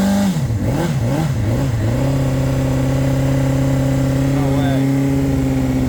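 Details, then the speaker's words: 2005 Honda CBR600RR, about 38,000–40,000 miles, first start after long storage with booster on weak battery: steady even four-cylinder hum after quick revs, no knocks or misses, a little blue smoke at startup, antifreeze leak seen; normal running. "Wow. Woo. It's alive. [Music] Don't smell too bad. See a little blue oil when I first started it."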